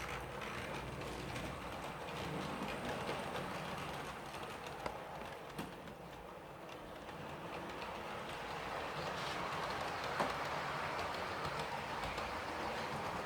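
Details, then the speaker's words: Model HST with decoder swapped, same motor as the Class 66, lapping track: faint rough grinding whirr with light rail clicks; motor itself quite grindy. "there you go as you can see gary's kindly done that and she's got the same motor as the 66 so you can actually hear it's just quite quite quite grindy"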